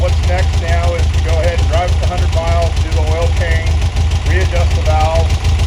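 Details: 1960 VW Beetle with a fresh air-cooled flat-four, synced carburetors and a newly installed polished stainless 1.5-inch A-1 Sidewinder exhaust: steady, even low putter at idle, about 200 pulses a minute, no knocks or misses.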